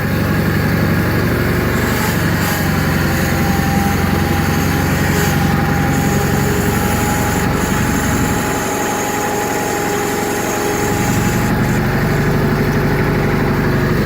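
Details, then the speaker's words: 1985 John Deere 318 after three months sitting, cold start: uneven, lumpy idle that dips; hard to start when cold, stalls if throttled down quickly; low idle suspected set too low, carburetor needs rebuild; rough idle. "when it's really cold it'll be can be a little bit hard to start and it idles a little bit rough if you throttle it down really quick it'll stall out"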